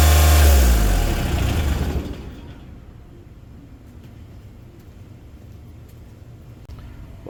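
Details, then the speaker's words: Kubota RTV1140CPX with D1105 diesel, after replacing a plugged muffler that caused low power and black smoke; strong, even rev, revs much higher, smoke virtually gone, no exhaust pressure bleeding back at shutdown. Normal running. "I'd say that's much better. As far as the black smoke, that was virtually gone. And it revved up much higher as you could hear."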